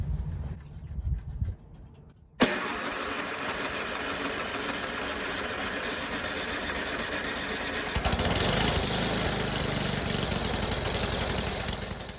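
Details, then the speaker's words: 25-year-old MTD Yard Machines snow blower on its first start with a little fresh gas, using the electric starter: it cranks a couple of seconds before catching and running steadily. The primer bulb line was broken, so it was never primed, hence the extended cranking. "I later discovered that the line for the primer bulb is broken, so I didn't actually prime it, which is why it took so long to start. So it probably would have started up with minimal cranking if I had actually been priming it."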